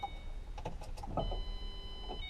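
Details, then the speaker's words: Mustang project car, newly installed fuel pump, key cycled a couple of times before starting: after key clicks, a thin steady high whine for about a second; normal fuel pump priming, previously silent. "but the fuel pump is actually making a noise this time around so i wasn't getting any of that last time"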